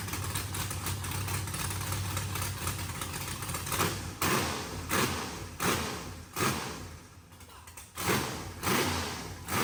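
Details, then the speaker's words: Freshly revived engine after new spark plugs and charged battery, with a tune-up rotor; fired-up engine settles into a steady even idle with clean throttle blips, sounding healthy; minor fuel pressure sensor and throttle issues noted. "sounds healthy. That's good."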